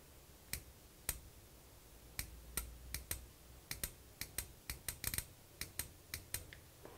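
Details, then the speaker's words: 12-volt DC micro 4-pin automotive relay being wired to a lighted switch, switch flipped quietly to hear it. Sharp crisp single clicks in a quiet room, each clean and distinct: relay pulling in properly, normal. "I'll try to flip the switch on as quietly as possible and maybe you'll be able to hear the relay itself"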